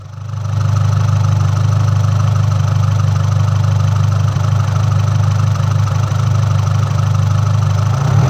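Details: MultiAir engine with electro-hydraulic variable intake valve lift; a deep, steady drone whose valvetrain rhythm stays the same as revs are held, because the ECU triggered failsafe and locked the unit at full lift.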